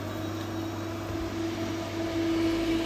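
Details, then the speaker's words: Fridge unit brought in with fans running but compressor not working, after the fan motor neutral was reconnected: steady hum with constant compressor tone and evenly whirring fan turning the right direction. Compressor and fan running normally. "That motor is running the fan motor's running nicely in the right direction. Compressor is running."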